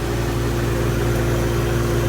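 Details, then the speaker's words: Walk-in refrigerator not cooling, condensing unit restarted: steady low compressor hum with a faint throbbing beat, unit sounds low on refrigerant charge. "here it's low on charge I can hear it beating units running starting cool little"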